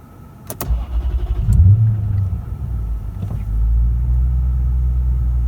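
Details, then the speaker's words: Lexus GS430, first start after exhaust valve guides were replaced, new valve stem seals fitted and cylinder heads skimmed to cure oil consumption. It cranks briefly, catches and settles to an even low idle with no misfire; idle spot on, no check engine light. "But the engine is idling absolutely spot on. There's no check engine light. Happy days."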